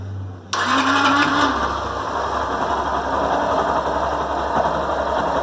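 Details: Yamaha Fazer 150 that wouldn't start, after replacing battery and rectifier: short crank, then the single fires at once and settles into a steady, even idle with no misses; fixed.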